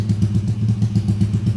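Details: Motorcycle engine rebuilt under warranty after failure, Scorpio piston chosen for quick break-in, kept running to loosen up: steady low idle with quick, evenly spaced firing pulses and no knocks or rattles. Healthy.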